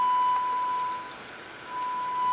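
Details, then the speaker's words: Baylor 6 radio after capacitor replacement, signal generator loop injecting 455 kHz IF: clean steady high beep, briefly dropping out and returning, faint hiss; RF-to-IF and detector working, fault lies before that. "we've got going uh 455 kilohertz the if frequency going through the radio in other words it's getting through the rf into the if and then being detected by the detector so all that part is working"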